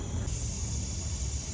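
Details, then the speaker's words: Freightliner M2 106 truck, engine off: steady sharp hiss of compressed air leaking at a brake airline fitting; touching the fitting changes the leak noise. A newly installed fitting holds; the one behind it is suspected, possibly not pushed up far enough. "This one just seems pretty obvious because you just touch it and it changes the noise of the air leak."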